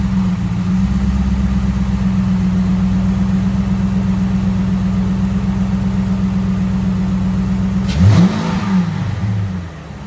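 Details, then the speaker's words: Cadillac STS after replacing spark plugs and coil packs, idling after first start: even, steady idle drone with no misses or stumbles, then shut off; running smoothly, normal idle. "All right, well, it blew out whatever that bullshit was that was left. Probably the brake cleaner and stuff I sprayed in the spark plug wells. But that's it, guys. She runs like a top."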